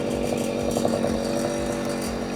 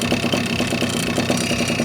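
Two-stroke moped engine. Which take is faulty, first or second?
second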